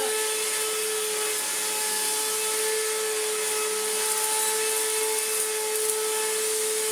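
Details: Restored Electrolux Z1910 Self Propelled vacuum on a rug: loud rough steady motor drone with harsh high whine, no muffling; sounds terrible from worn motor bearings; post-motor filter pad working loose.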